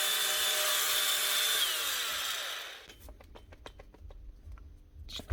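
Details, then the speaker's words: DeWalt cordless tool, customer reports starting and stopping: high whine holds about two seconds then sags and dies with scattered ticks spinning down; worn gear, bad bearing or rubbing suspected, not confirmed. "starting and stopping sure doesn't sound good there's something going on somewhere in this either a warden gear or a bad bearing or something rubbing something just ain't right"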